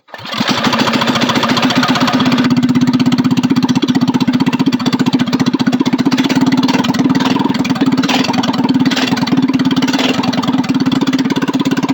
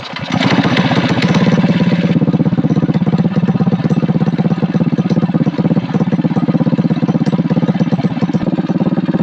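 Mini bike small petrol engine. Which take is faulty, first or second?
first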